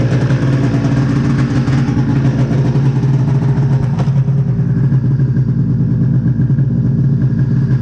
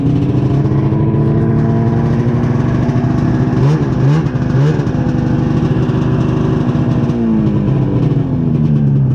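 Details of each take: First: 1999 Ski-Doo MXZ 670 HO snowmobile after turning down throttle/idle screws to lower the idle: steady, even two-stroke idle, smooth unchanging beat, no misfire or hunting; normal idle. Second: 1999 Ski-Doo MXZ 670 HO snowmobile, which others had tried to set up for drags, before carburetor idle screw adjustment: two-stroke buzz well above normal idle, wandering with brief blips, never settling low; high idle.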